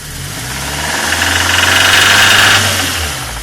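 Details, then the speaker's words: 2002 Fiat Palio Fire engine after unblocking the oil pickup to clear the oil pressure light: fast metallic knocking that follows revs, loudest near the oil filter; owner suspects the oil pump, cause unconfirmed. "esse barulho é bem mais próximo aqui do filtro do óleo mas por dentro do motor não faço ideia do que seja provavelmente pode ser a bomba de óleo mas se alguém tem um alguma teoria pode me passar"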